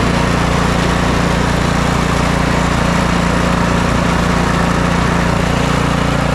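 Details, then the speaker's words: Snow blower single-cylinder engine after replacing worn, stretched auger belt and drive belt, bottom engine cover still off: smooth even high idle, steady beat, no slipping squeal; working properly. "now that everything seems to be working properly I've reinstalled my bolt here put the spring back on"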